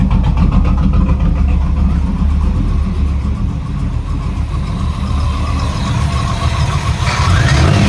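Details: 1989 Camaro, first start in 13 years after an Edelbrock carburetor rebuild with ultrasonic cleaning: V8 runs strong and steady with a low burble and swells cleanly when blipped; normal running.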